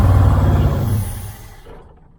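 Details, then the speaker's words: 1978 Dodge Aspen R/T, sat since 1987, carb float suspected full of dirt: deep rough rumble surges briefly then dies within two seconds; fires only on fuel poured into the carburetor, little smoke. "i can't get it running consistent enough to really hear it if it's clearing out it seems like it's cleari"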